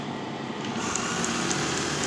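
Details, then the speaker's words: Brother 814 buttonhole machine, motor recently rewound, upper knife not yet fitted: light even whir with soft regular stitch ticking, no knocking or grinding; runs smooth and quiet, though not fast, set around 46. "mesinnya halus cuman ini kan akhirnya juga kirim nomor 46 ya jadi enggak begitu cepat"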